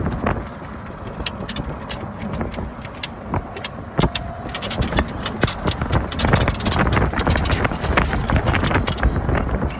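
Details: Club Car Precedent golf cart with a Madjax triple track roof, riding over bumps: irregular creaks and sharp ticks about twice a second. The roof is squeaking at its riveted panels; the plan is to replace the rivets with machine screws.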